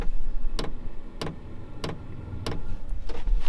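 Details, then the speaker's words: Diesel heater at startup after a failed attempt, once the combustion chamber warmed enough for the fuel pump to start, glow plug still on: sharp clicks about every 0.6 s over a faint hum, each click metering fuel; normal. "So that's the hertz rate. So every click is a little bit more fuel going in."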